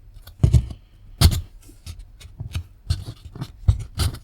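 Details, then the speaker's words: i-Joy Xtreme Sound soundbar bass speaker with a previously glued repaired cone: irregular dull scratchy rubbing in uneven bursts as the cone is pushed; glue holding, scraping likely a rubbing voice coil, replacement speaker to be fitted. "The glue is holding, so it hasn't ripped again, but can you hear this? Yeah, that scratchy"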